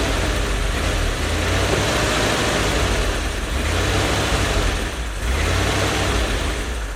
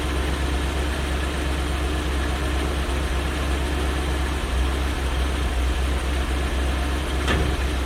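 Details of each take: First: One-owner 1972 Chevy G10 van with a 307 small-block V8 and automatic, sitting since 1997, with a new fuel pump and fresh gas. It catches and holds a fairly even idle with a slight rise and fall, drawing fuel; running normally. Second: One-owner 1972 Chevy G10 van with a 307 small-block V8 and automatic, sitting since 1997, with a new fuel pump and fresh gas. A deep, lumpy, uneven idle with no clean pickup shows hesitation; the owner suspects a massive carburetor vacuum leak.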